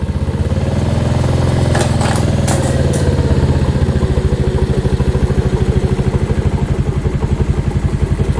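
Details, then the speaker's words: Mash Fifty 50cc with a replacement Lifan engine, first start after installation, choked with fuel opened. A few rattles, then it catches and settles into a quick, even, steady putter. Normal running. "Now that sounds much better."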